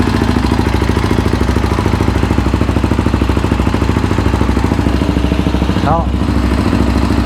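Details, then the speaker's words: Yamaha Raptor 700R after engine rebuild, with FMF pipe: very loud, choppy single-cylinder running at a fast steady beat with sharp pipe pops, shooting flames from untuned fueling; programmer to be fitted to clean it up. "She's shooting flames. We got to put that programmer on her to clean that up."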